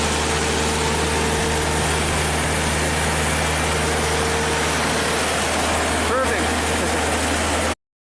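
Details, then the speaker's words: Ford-powered propane JLG boom lift, sat two years after tree damage, with a hose clamp stuffed in the throttle body to prop it open. It runs a steady but somewhat uneven idle with a faint whine; rough idle with throttle propped open. "We got a hose clamp stuffed in the throttle body just to prop it open in here, and I think this thing will just fire right up and run at a half decent idle."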